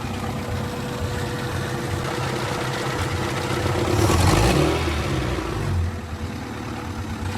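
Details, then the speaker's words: DB1 Honda Integra right after an oil change: idle and revs carry a loose, rapid clatter that grows louder as revs rise, noticeably more clattery than before; a part-throttle misfire is also noted. Cause unclear. "So we completed the oil change, and it sounds a lot more clattery than it did before."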